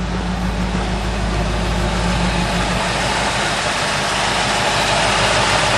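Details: 1972 Ford truck V8 after fixing loose driver-side spark plugs that owner thinks let compression blow out so it ran on one bank; deep, even idle with steady beat, no missing cylinders or stumbles; much better than before, healthy idle.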